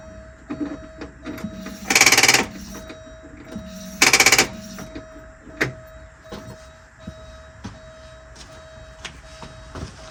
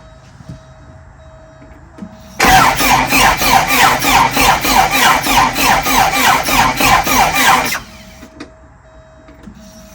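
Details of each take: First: 41-year-old Porsche 944 with the ground cable unhooked: two short buzzy bursts about two seconds apart, no steady cranking rhythm; starter fails to crank because of a poor ground. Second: 41-year-old Porsche 944 with a starter and no-crank problem, cranking after a ground cable was added for a suspected poor ground: strong, even cranking at about three compression pulses a second for five seconds; turns over freely but doesn't catch.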